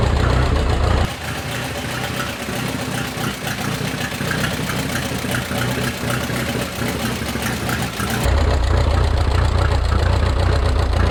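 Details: Minneapolis Moline 335 tractor with a freshly rebuilt engine: uneven, lumpy idle with irregular beats and dips in the exhaust note, seemingly missing. Owner says it isn't firing right and needs tuning, possibly timing; retarded timing suspected.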